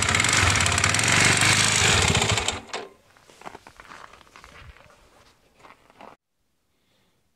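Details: Irbis TTR250 bike, bought non-running: loud, hard, regular knock, roughly four per second, while running until shutdown. Piston knock.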